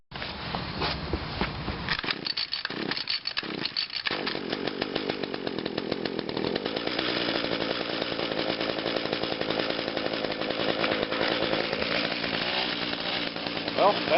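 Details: Small two-stroke engine started on choke after priming, first run since the carburetor was taken apart and cleaned: it sputters and catches, then settles into a fast, even buzz with a steady pulse, so the cleaned carb is fuelling it properly.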